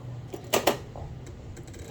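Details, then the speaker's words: Honda Click V2 scooter that won't start and shows only the blue panel. The battery reads fine on a voltmeter but the voltage drops when starting, and it was already cleaned. Two sharp clicks, no cranking; cause unknown. "hindi siya agad nagre-respond tapos yan may maririnig kayong nag kirik Hindi ko alam kung ano"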